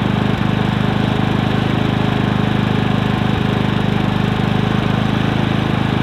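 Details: Predator 3500 inverter generator, new, 18 hours run time, owner suspects a clogged spark arrestor: small single-cylinder engine running steady with an even quick firing beat and no stumbling; normal running.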